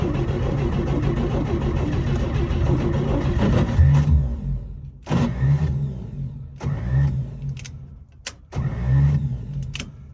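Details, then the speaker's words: 1955 Chevy brought back after long storage: the starter spins the engine in several bursts with pauses but it never fires or pops; no start, ignition timing later found far out. "i didn't hear it backfiring or sound like it was backfired i really didn't hear firing at all"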